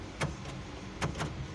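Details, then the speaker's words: Chevrolet Opala Diplomata 250S six-cylinder, door panel off: door lock actuator chatters with sharp irregular clacks from a loose ground wire screw. Fixed by tightening the screw; power door lock chatter from loose ground wire. "tá vendo aqui esse esse Terra dele aqui ó aqui ó tá vendo se você mexe nele ó ele tá solto"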